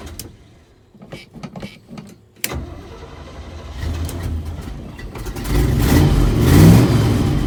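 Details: 1977 Chevy Big Ten pickup, 350 V8, cold start; a few quiet clicks, then it fires at once and its rumble rises with throttle; hard cold start needing pedal pumps because the choke is faulty.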